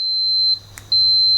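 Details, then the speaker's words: Multimeter on continuity setting while fitting dual tone horns in a Classic Mini; two clean high-pitched beeps about half a second each, showing current can flow and the circuit is closed. "beeps when it has continuity. You can choose to do it without it. So essentially we're just listening for"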